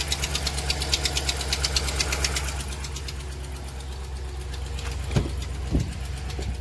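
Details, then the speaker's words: 2009 Ram 1500 Hemi V8 at start-up idle; sharp rapid ticking that eases after a few seconds, from the known exhaust manifold leak. "This truck, it does have the infamous Ram 1500 exhaust manifold leak, so it ticks. Let's start it up here. Right off the bat, obviously you guys can hear it. It's ticking pretty good."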